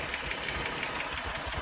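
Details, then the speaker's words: Jeep Grand Cherokee petrol engine at warm idle after startup cool-down: light regular tick about six per second, microphone under driver's door; sounds like an exhaust leak, shop blamed harmonic damper, cause undiagnosed. "Startup is over. It's idling down. You can hear the tick."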